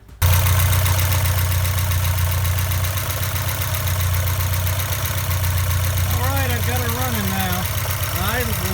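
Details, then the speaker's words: 1984 Porsche 944 first running after fuel tank replacement and injector swap: engine settles into a steady, fairly fast idle that stays up rather than dropping; idle set too high, needs adjusting. "so anyway she's running now but I'm gonna have to adjust this since the idles too high"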